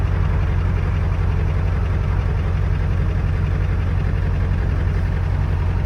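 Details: 7.3 Power Stroke diesel truck just after cold start, unstarted about 2 weeks, cold weather, glow plugs cycled: steady, even low clatter without misses or stumbles; healthy cold idle.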